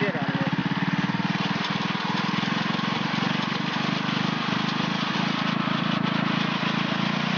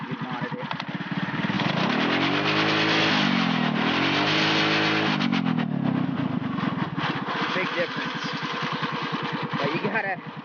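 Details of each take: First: Stock, unmodded mini-Baja engine at full throttle: steady, even high-pitched buzz held flat at top revs with no surging or stumble, running at its usual governed maximum RPM; normal. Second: Mini-Baja engine modded so the throttle linkage, pulled tight, lets it reach max RPM: sweeps up to a screaming top speed and back twice, far past the stock ceiling; over-revving, risks blowing the motor.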